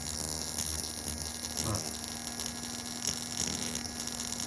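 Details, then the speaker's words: Technics RS676A cassette deck capstan motor on a bench supply (~7 V, 1.1 A): thin whirring buzz with an uneven rattle as the wobbling shaft slaps side to side in its worn brass bushing; it also struggles to start. "What's happening there the shaft is actually banging left and right left and right on the bearing and it's got a little brass bearing."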